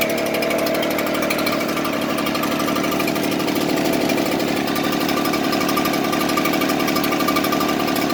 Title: Echo blower rough idle.